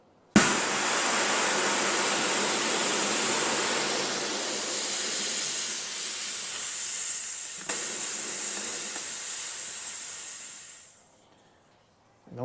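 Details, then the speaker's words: DeWalt D55146 Type 9 air compressor after pressure switch replacement for not shutting off: tank drained to clear water, steady hard hiss about ten seconds tapering as tank empties, less than the earlier 225 PSI; normal drain blowdown. "I hate that noise so I don't use air tools well better keep doing it except this time it's not 225 PSI full of pressure"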